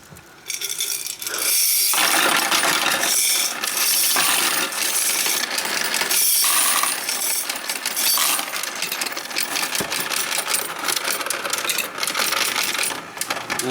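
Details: Royal Sovereign FS-44P coin sorter/counter feeding coins into tubes with preformed wrappers; steady rattling stream of coins with irregular clicks, counting without jams; normal sorting run, count correct at 4410.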